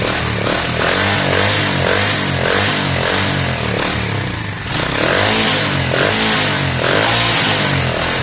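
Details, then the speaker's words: Lexmoto Valiant 125 converted from EFI to a carburettor, original main jet and air filter fitted, adjusting the air-fuel screw: it blips up and the revs drop back slowly, with an uneven idle; mixture slightly off, suspected. "but at the moment it's not smooth. It's hanging on its revs, etc."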